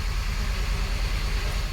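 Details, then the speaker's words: 2012 Hyundai Verna (Fluidic) petrol, immobilizer key light not on: the starter turns the engine steadily but it never fires. Code P1690, SMARTRA immobilizer not responding; the ECM is not communicating with the SMARTRA, so it won't start. "ఒకసారి మీకు vehicle start చేసి చూపిస్తా ఓకేనా vehicle అనేది start కావట్లేదుఆర్పిఎం అనేది లేస్తుంది."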